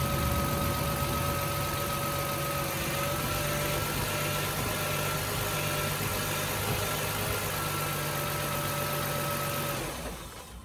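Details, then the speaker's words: 1999 Toyota Sienna at idle after belt adjustment; belts now quiet, with injector ticking audible. Turning the steering wheel gives a faint power steering pump whine that winds up slightly, which is normal. "You can hear the power steering go a little bit. You know, you can hear it kind of wind up. That sounds pretty good."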